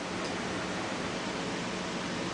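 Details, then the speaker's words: BMW K75 motorcycle radiator cooling fan run by jumping relay socket terminals A3 to 15, ignition on: steady even whoosh, no ticks, scrapes or wobble; fan working properly. "Alright, so here you can jump it and your fan will kick on. So I know my fan is working properly."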